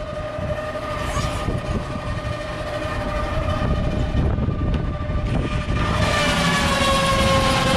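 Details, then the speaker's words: York rooftop unit blower, customer reported a loud noise like an unbalanced washing machine: heavy rough rumble with a steady whine over it; blower bearing completely gone, belt bolt loose. "that ain't good the bearing is completely gone"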